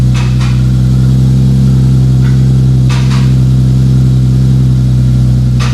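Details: 2JZ-GTE twin-turbo swapped MKIII Supra after reassembly, five-dollar failed part fixed and turbo blankets added: steady, even idle with constant deep note, no misses, knocks or ticks; engine running smoothly.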